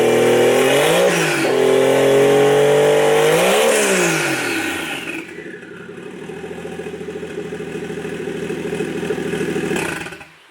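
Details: 1JZ inline-six swapped into a Nissan 240SX S14, on a JZX100 ECU, throttle body and harness with the idle air control and vacuum lines capped: revs cleanly twice, settles to a smooth even idle, then shuts off, running healthy.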